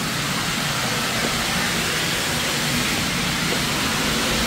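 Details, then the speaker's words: Steam museum engine room while warming engines on low line pressure: loud, constant rhythmless hiss of steam escaping freely from a line drain left open, making it hard to hold pressure above 50. "created a bit of an atmosphere in here with that line drain that was left open"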